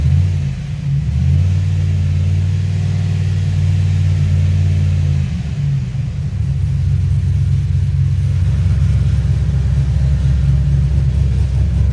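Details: 2007 Pontiac G6 GXP with an LS4 V8, on its second start after a rear cylinder head bolt thread repair, crossover not yet tightened. It holds a steady, deep, even idle with no knocks or misses.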